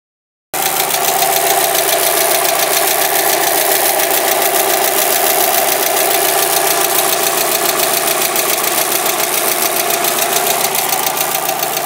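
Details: Mazda Miata petrol engine, first start after sitting months, idles with a quick, fairly regular ticking/knock of three or four beats a second plus an electrical noise; cause unknown, a new engine was suggested.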